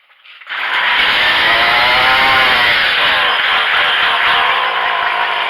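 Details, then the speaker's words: Craftsman two-stroke weed trimmer being carburetor-adjusted: revs harshly under throttle, then sags and labours instead of climbing cleanly; lean high-speed mixture bogging, adjustment screw being turned out further. "I'm giving it the throttle. Hear it log? So I'm pretty sure that's what was happening with him."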